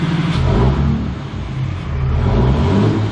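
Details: 2003-2007 5.9 Cummins diesel pickup after fuel injector replacement: revs up smoothly and settles, deep steady pull with no knock or miss, smoke from oil and brake cleaner clearing; running healthy.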